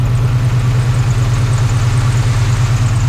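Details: 1980s Chevy C10 truck revived after 20+ years sitting, gauges dead, upper radiator hose getting warm: steady, even low rumble at idle with no knocks, misses or rattles; normal warm-up idle.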